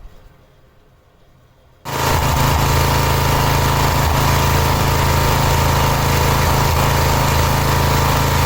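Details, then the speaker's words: Cub Cadet 1106 riding lawn tractor (1987; listed as 1986), sat over 4 years: engine catches and settles into a slow, steady low thump about four beats a second. Very low idle; carburetor needs more tuning. "Almost enter this into a low idle contest if any of you guys remember those."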